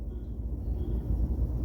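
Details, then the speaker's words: Nissan Sunny N17 idling during scan-tool power balance test; low, uneven rumble with lumpy, stumbling beat and shaking as cylinder 1 is disabled and rpm drops, used to locate a misfire. "بتعطل السلندر نمره واحد نشوف الار بي ام اتغير تمام وبتحس بالهزه في العربيه"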